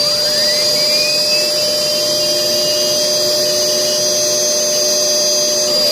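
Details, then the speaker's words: Homemade flywheel fan car: loud spinning whir with a steady high scraping tone as the fan blades rub against a shifted wheel; the axle is to be taped so the wheel stays put. "Yeah, you can hear it rubbing up against the wheel. You know what? Let me put some tape on these on this axle so it won't be rubbing."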